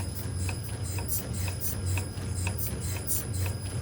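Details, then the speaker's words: 2023 Mini Cooper JCW with reported suspension noise, heard through Ruid-car listening equipment: light sharp clicks about twice a second over a low steady hum; suspension knock. "Esse carro aqui chegou pra gente aqui com relato barulho de suspensão. Então a gente já está utilizando aqui o equipamento ridicar se a de fato barulhinho a gente já consegue identificar aqui, ó, um ruído."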